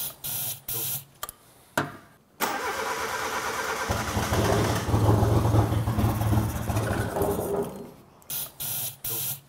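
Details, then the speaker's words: Car sat for years on a farm (possibly under water), previously only run on brake cleaner; catches and surges unevenly, never settling to steady idle, rough running. "Those of you guys who have been watching the channel for a while will remember that the last time we actually were mucking around with this car, it didn't run properly and we were running it on brake cleaner."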